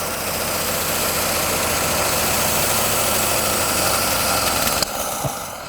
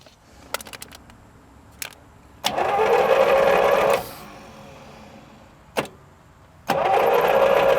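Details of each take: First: 1937 Buick Special straight-eight, sitting for decades, runs with a busy, rattly idle and a little backfire, with the carburetor throttle held open by a screwdriver, for about five seconds, then cuts out as it runs out of fuel. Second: 1937 Buick Special straight-eight, neglected for decades, on a first start attempt with fuel added: two bursts of starter whirring that never catch; cranks but won't start, and it may not be getting enough fuel.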